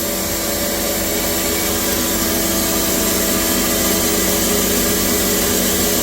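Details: Cattle-feed grinder set up in the milk house, slide open and blower running with the bottom outlet wide open: steady, even roar with constant hum and blower rush, no knocks or surging. Normal running under load.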